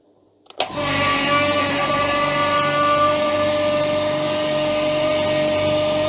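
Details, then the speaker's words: Upgraded air compressor, now single motor instead of two, pumping up the tank after letting air out: steady even drone with clean motor whine, no knocks or rattles; fills in about 1 minute 9 seconds, running normally. "so what I'm going to do now is turn it on see how long it takes to pump up"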